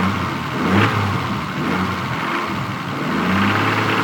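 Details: Stock Toyota Supra MK3 with 200,000 km, burning about 1 litre of oil per 600 km: revs rise and fall with a rough rasping note swelling under acceleration; owner suspects valves or injectors, cause unclear.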